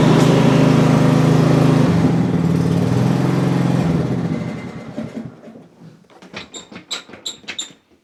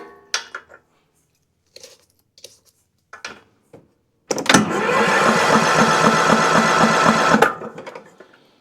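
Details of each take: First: Cub Cadet CC30 H riding mower, MTD Power More engine, after repairing crank-no-start, test run with parking brake set, throttle in fast, top off: petrol engine runs smooth and even, then winds down with a few ticks; normal running. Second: Cub Cadet CC30 H riding mower, MTD Power More engine, turns over but won't start: starter cranks steadily about four turns a second for three seconds without catching; no spark even with a swapped plug, either a safety killing spark or a bad ignition coil.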